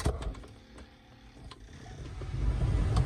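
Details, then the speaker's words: 2004 Chevy Tahoe after replacing the blower resistor/module whose fault kept the blower running with the key off: after a few clicks, the blower spins up with a steadily building airflow rush once the key is turned on, working normally. "There we go, and it works. Now I don't have to disconnect the fuse every time I turn the vehicle off."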